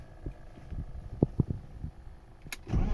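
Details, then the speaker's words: 1996 BMW E36 328i just after installing a new MAF sensor: short uneven cranking thumps, then the engine catches and picks up to a firm, steady run; starts cleanly and runs much better with the new MAF. "So I think it's running better now with the new MAF. Much better. That's awesome."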